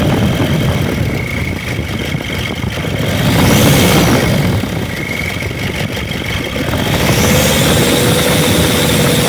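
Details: Diesel engine bought as a replacement idles loud and harsh with an uneven knocking clatter about three or four beats a second; something internal sounds wrong, cause unclear; advice is not to use it and return it to the seller.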